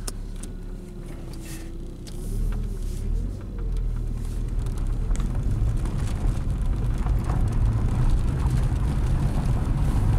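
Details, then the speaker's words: 1996 Mercury Mystique, almost 250,000 miles, test drive on rough road after clutch replacement: steady low road rumble, quiet, no rattles or knocks; the previous loud rattle is gone. "It's actually a lot smoother than any SUV or van on a rough road like this. It kind of floats, absorbs everything, pretty quiet. I don't hear the annoying rattle anymore."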